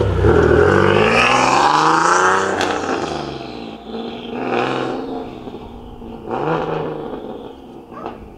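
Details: Boosted single-turbo Nissan 370Z Nismo accelerating on a nearly 100-degree day after an exhaust leak was fixed: clean, deep exhaust note climbing smoothly through the revs, no ticking, puffing or hiss; no exhaust leaks.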